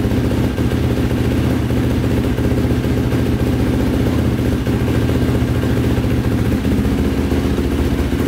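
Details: 2005 Yamaha YFZ450 big-bore single after rebuild, carburetor refitted with fuel screw two turns out (owner suspects a clogged pilot jet): steady idle with an even low thump, no stumbling or stalling as before; idling normally.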